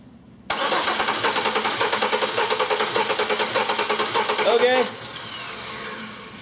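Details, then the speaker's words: Six-cylinder engine cranking with ignition disabled and one plug wire off: lopsided, inconsistent limping crank rhythm as one completely dead cylinder with no compression skips its beat, heard during a starter-current relative compression test. "ne completely dead hole no compression in one of the six cylinders"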